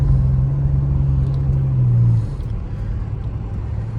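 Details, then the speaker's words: 1985 Pontiac 6000 wagon with swapped 3800 supercharged V6, after fuel injector replacement, premium fuel, no check engine light, on road drive: steady even drone accelerating cleanly without the misfire it had before; normal acceleration. "Yeah, before if I had to accelerate like this, it would start misfiring. It's running good now."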